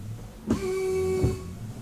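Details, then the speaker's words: 2022 BMW X3 M40i windshield washer: the pump gives a short, steady electric hum with a thin high buzz and sprays only briefly before quitting; caused by a clogged pre-pump filter with bacterial buildup in the reservoir. "It sprays just a little bit of fluid at the beginning, and then that's it. You can hear the pump,"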